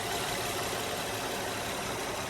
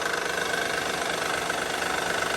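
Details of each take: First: Honda Pilot J35 3.5 V6 with about 207,000 miles, idling after timing belt replacement and cam repair. Smooth, even idle with faint injector tick and no knocks or rattles. Normal running after the repair. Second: 2009 Honda Pilot, J35 3.5 V6, 207K miles on original timing belt, idling; mild quick even tapping, no deep thumping, seemingly from rear bank (bank 2); suspected cam or timing belt issue; teardown found failing cam: valvetrain knock from worn cam lobes.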